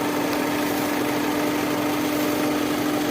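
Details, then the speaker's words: Skoda Rapid (VW Vento) after belt tensioner replaced: steady even idle hum holding one pitch, no chirp, squeal or rattle from the belt; normal idle. "ఈ tensioner change అయ్యగానే మళ్ళీ original beating ఎలా ఉందో noise అలాగే చూడండి, sound వినిపిస్తుంది మీకు. అలా original noise కరెక్ట్గా ఉంది."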